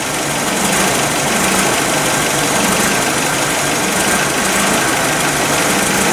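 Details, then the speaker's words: Nissan forklift running rough under load, cam sensor already replaced for a no-start: uneven stumbling idle as one cylinder drops out; misfire moved from cylinder four to three with the coil, confirming a defective ignition coil. "okay so the problem definitely transferred over to number three"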